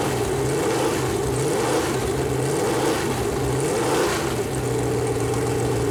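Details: Freshly built Chevy Performance 454 big-block V8 on a run-in stand, first start, temp around 190, good oil pressure: steady drone with light speed rise under fan hiss, no knocks or ticks; normal running.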